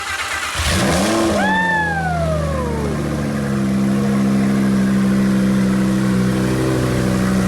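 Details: Wrecked 2020 twin-turbo Audi R8 during rebuild, first start after finding two unplugged connectors, engine stock and cold: starter whirr, catches with rising rev flare, settles into smooth steady idle with even low drone; normal start and idle.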